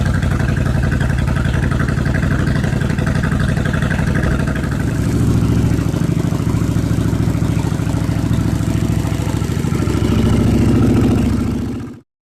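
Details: 1986 Suzuki Intruder V-twin with new fuel pump, jury-rigged battery, fuel poured into the float bowls, choke on: steady low throbbing idle, even firing on both cylinders, slight swell near the end; running cleanly.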